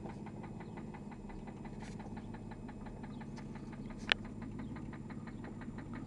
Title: Infiniti J30t 3.0 Rod Knock